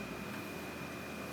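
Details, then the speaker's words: Whirlpool dryer that would not start, back panel off, after replacing the blown high-limit switch and plugging into 220 V. Steady even rush of air with a faint constant whine, no knocking or scraping: fires right up, running normally with good airflow. "Turn it on, and it fires right up. So that did the trick."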